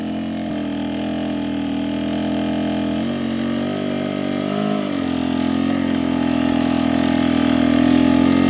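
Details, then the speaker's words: Rieju after swapping 38mm stack carb for 36mm Keihin, rolling on an incline at steady quarter throttle, low RPM, slight clutch: clean single steady note pulling evenly without stumbling; low RPM the 38 carb struggled to find. "That low RPM was something I kind of had a tough time finding with the 38 carb."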